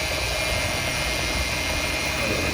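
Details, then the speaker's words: 2000 Toyota Tundra SR5 with the 4.7L V8, running. A thin, steady high whine rides over the belt noise, from the power steering pump left of the radiator under the intake. The pump is bad. "all right guys so as you can hear the sound it is a bad particular pump"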